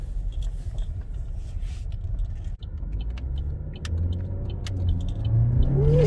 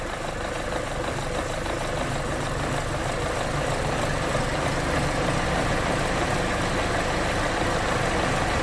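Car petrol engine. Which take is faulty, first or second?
second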